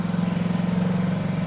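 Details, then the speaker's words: 1974 Honda CB360, warmed up and idled up before a carb sync: quick, steady twin-cylinder putter at a slightly raised idle with evenly spaced pulses and no misses; normal fast idle. "Good enough, really. You can hear that I got it idled up."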